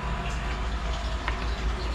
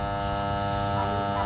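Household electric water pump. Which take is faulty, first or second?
second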